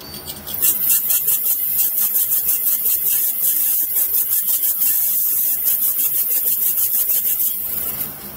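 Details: Injector from an LS-swapped Miata with a misfire, tested on a bench rig: quick, even clicking with a fine hiss, about five pulses a second; this injector opens and sprays, unlike another that sprays nothing.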